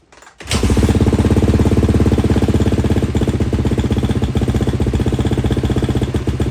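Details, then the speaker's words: 2-stroke KTM 250 after cleaning intake boot and fitting subframe, silencer and air filter, choke off: fires after a half-second into a crisp, steady idle without hunting; healthy normal idle. "Guys, I'm pretty pumped. That sounds good. Was able to get the idle as there's no the choke wasn't on, so excited."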